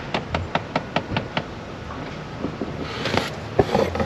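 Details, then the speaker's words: Chrysler 300 dash: quick even tapping about five per second behind dash fading to uneven knocks; owner suspects blend door motor, jokes of mice; cause unconfirmed. "I thought I had mice playing the drums or something. Sounds like a blend door motor. Well, no, it's definitely mice playing drums."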